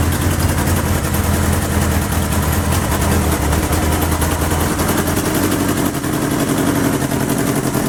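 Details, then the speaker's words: 1977 Kawasaki KZ650/Z650 B1 four-cylinder, air screws 2¼ turns out (manual says 1½), second-hand starter fitted; steady low idle with slightly uneven, lumpy pulse and breathy exhaust; rough running from unsynchronised carbs needing balancing. "still need to be synced that's great news that's really pleasing"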